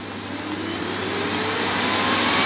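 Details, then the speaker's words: Miele Revolution 5000 vacuum after a new hose arrived and the best parts were combined: smooth airy rush climbing steadily in pitch and volume as the motor spins up, with no rattles or surging. Works absolutely fine. "I've switched parts around, so all the best parts are together now, and it works absolutely fine."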